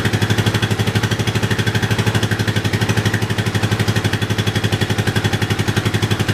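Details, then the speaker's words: Yamaha 660 single-cylinder after carb re-jetting for a lean condition, tank loosely fitted; steady even idle thump about four beats a second, very little popping, no misfire, healthy. "Okay, well that should be about it. Very little popping."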